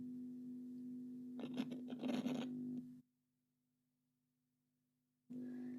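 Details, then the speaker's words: Telefunken Gavotte 55 tube radio under restoration: steady low 50Hz mains hum with scratchy contact noise, cutting out while a jumper holds, then returning; hum traced to a poor ground. "whoops so that ground there is not working it's supposed to be ground because it's part of the um it's part of the actua"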